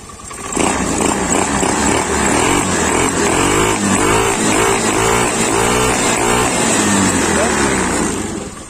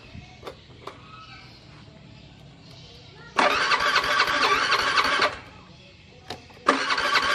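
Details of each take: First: Honda Beat FI scooter, screw at 1.5 turns: throttle blips rise cleanly and settle back to steady idle, no misfire, knock or hesitation; pulls normally. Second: Honda Beat FI scooter that won't start, fuel pressure reaching about 40 but dropping slowly: two bursts of whirring starter cranking, about two seconds each, engine never fires; cranks but won't start, injector check next.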